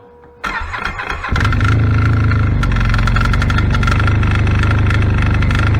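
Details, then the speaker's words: 2016 Arctic Cat ZR5000 snowmobile at about 30-40°F, before Team Industries Rapid Response drive clutch repair: fires and settles to a fast idle with a light metallic rattle on the exhaust beat; rattle from the primary clutch. "this machine here it's got a rattling noise coming from the primary clutch don't know if you'll be able to hear it or not we'll try it"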